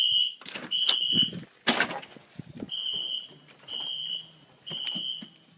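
Loud, high-pitched horn blasts repeat at roughly one per second amid some handling noise; the fire alarm system is in full alarm.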